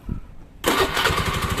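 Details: Honda Beat carbureted scooter after stalling/sputtering was fixed by replacing the kiprok (regulator/rectifier): silence, then the engine catches at once and settles into a steady, even putter with no misfire or stumble; healthy.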